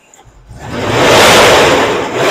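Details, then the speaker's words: 2000 Cadillac Escalade (GMT400), 24 years old, with a 350 small block V8, first start after repairing rotted fuel tank lock ring tabs and replacing the fuel return line: catches and runs strong and smooth with no misses, knocks or fuel leaks. "it's doing stuff and explosions inside there and I don't have a waterfall it's running awful smooth"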